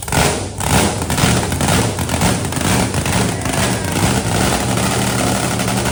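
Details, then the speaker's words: 1957 Bel Air limo, blown big block (about 1,500 hp, five-six years old, no maintenance) with new equal-length zoomies, freshly started: loud deep even rumble, steady beat, no knocks or misses, loud at rear, quiet up front; normal running. "Dude, are you freaking kidding me? That's a great engine. That is a great engine."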